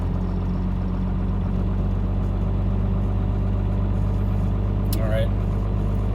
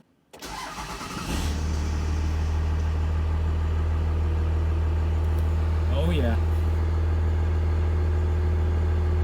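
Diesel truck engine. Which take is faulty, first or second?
first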